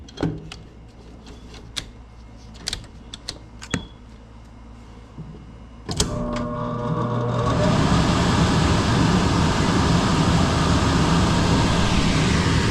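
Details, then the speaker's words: Mobile-home AC outdoor condenser starting after a low-voltage no-cooling fault was found, with the tech's jumper on the blower relay: a few faint clicks, then a steady, even whoosh and hum with no rattles; normal running. "Condenser is running."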